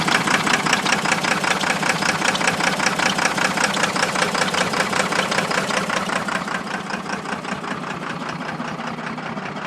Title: 12 valve Cummins Misfire due to Blown Head Gasket